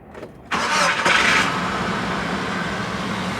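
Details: 2000 Nissan Frontier XE 2.4L with a crank, no-start complaint: short crank catches quickly and settles into a steady, even idle with no misses; starts and runs normally.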